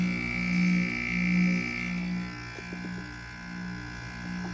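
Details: Window air conditioner unit running: steady low hum with an intermittent coarse buzz on top that comes and goes; the compressor is noisy and the cause is unclear.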